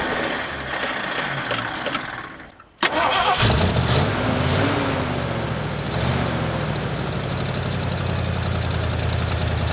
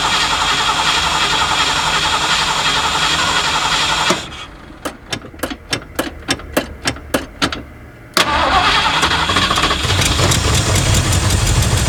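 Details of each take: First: 1979 Ford F-150 with a modified 351 V8, abandoned in a back yard, just after bolting on a new aftermarket carburetor: brief crank, pause, then catches cleanly into a steady, even idle with no knocks or misses. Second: Abandoned 1979 Ford F150 with modified 351 V8: catches on brake cleaner, runs briefly, dies, then stumbles back unevenly, smoky; accelerator pump not moving, leaky gas line; owner suspects clogged carburetor or fuel pump.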